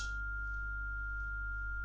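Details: ESP32 streaming a generated sine wave to a Bluetooth speaker: a single steady pure tone around 1400 Hz, unbroken, no crackle or dropouts; playback clean and stable.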